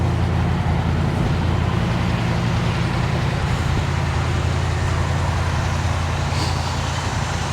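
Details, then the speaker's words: Restored 1967 Impala SS, big block with a 4-speed, on a roughly 60°F day, heard walking around it from the rear: deep, steady, lopey V8 idle burble with no knocks or ticks; sounds healthy. "Let's hop out here, do a quick walk around with it running. Sounds good from the back."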